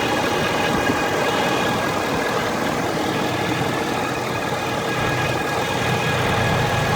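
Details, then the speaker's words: Ford F350 diesel idling warm: steady clatter with a thin, constant high whine from the top of the engine near the central black box, driver's side or center; dealer blamed the transmission, several dealers found nothing wrong. "They're trying to say it's the transmission, but the noise is coming from the top of the engine over here. Sounds like it's coming from that black box area."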